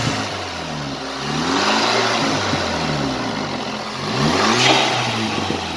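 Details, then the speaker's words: VW GTI after replacing a bad fuel injector and carbon cleaning intake valves, some leftover exhaust smoke: two smooth revs with turbo whistle and sharp blow-off hiss as throttle closes; running better, healthy. "And rev it, Makhi, you can hear more of the turbo now, more of the blow off noise now."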